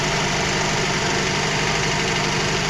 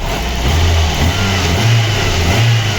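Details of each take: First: VAZ 2115 1.5 injector engine, fully cold, valve clearances confirmed correct, with a fast light tick over the idle. The mechanic first suspected piston slap or the camshaft; removing plug caps did not change the sound. Finding: ignition-related ticking. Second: VAZ 2115 1.5 injector engine, brought in for suspected camshaft knock, revving after new plug wires, spark plugs and coil: clean even blips, no knock or stumble; head and pistons fine, injectors likely dirty.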